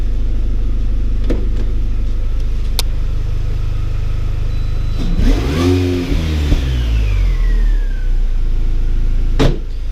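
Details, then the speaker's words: R53 Mini Cooper S after supercharger replacement (old one failed, rattling, overheated via its driven water pump): smooth steady idle, quick rev with rising and falling supercharger whine, rattle gone, running healthy. "Horrific rattling noise has gone. Bit more of a whine from the supercharger now. Yeah, running like a champ."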